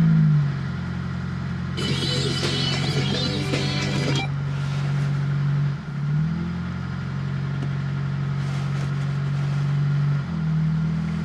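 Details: Fiat Panda 4x4 Sisley fuel-injected cold start at about minus two °C, clutch pressed; catches promptly, settles to steady even idle with a couple of brief dips; healthy cold start.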